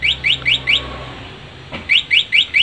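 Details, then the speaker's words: Motorcycle alarm, bell button held to enter vibration sensitivity setting: quick chirping beeps in a steady train, a pause, then chirps resume. "Berikutnya ada cara mengatur sensitif getar. Kita cukup tekan tombol lonceng sampai ada bunyi."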